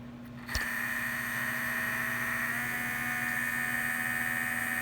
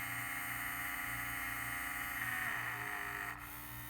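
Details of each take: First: Vintage 1978 Shinsei Fire Fox RC car, steering servo suspected of potentiometer problem: thin steady electric whine with quick pulsing as it changes direction; servo responding but still erratic. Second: Vintage 1978 Shinsei Fire Fox RC car, steering servo, digital proportional radio: thin electric whine whose pitch changes as the lever moves further; hums slightly if not perfectly centered; electronics responding normally.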